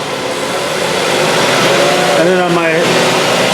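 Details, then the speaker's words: Mazda 5 on a hoist, drive wheels off the ground running at about 40 mph, listened with a stethoscope; steady droning growl with wavering hum, wheel bearing noise from a worn pressed-in wheel bearing. "I'm gonna show you how to listen for a wheel bearing noise we've got a Mazda over here"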